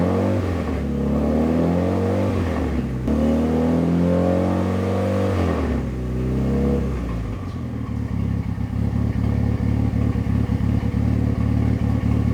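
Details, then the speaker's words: Fully built Mitsubishi Evo 9 turbo four during break-in after first start, warming to operating temperature (185–200°F), revved between 2,000 and 3,000 rpm in garage with fan running; smooth revs, crisp exhaust pops and backfiring on lift-off, healthy. "it sounds so good it's like backfiring and stuff now rant between 2 and 3,000 RPMs"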